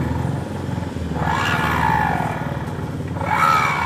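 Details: Honda Vario 125 scooter CVT spinning with the rear pulley fitted: rough, uneven growl rising as it speeds up, while it runs smooth without the pulley; worn rear pulley bearing, fixed by replacing it.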